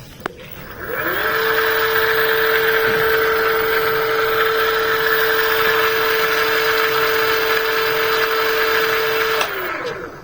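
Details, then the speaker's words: Electric bicycle hub motor, key on and throttle pulled: the motor winds up to a steady high hum inside for about eight seconds, then spins down, but the wheel is not driven. The hub motor is faulty. "দেখুন এক্সেলেটরে টান দিয়েছি আমি, কিন্তু চাকা ঘুরছে না। কিন্তু যে মোটর ঘুরছে না তা না, মোটরের ভিতরে ঘুরছে।"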